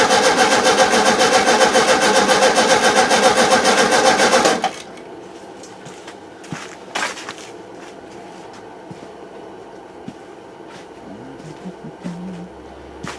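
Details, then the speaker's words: 1971 VW Super Beetle with freshly cleaned carburettor; several seconds of rapid even cranking then stops dead without catching or idling, fuel not reaching it at idle; owner theorises an over-tightened idle jet with damaged seat; cause not confirmed. "I close it, it struggles. I backed it off just a tiny bit. So what I'm probably going to do is make a washer. Absolutely was not idle before this."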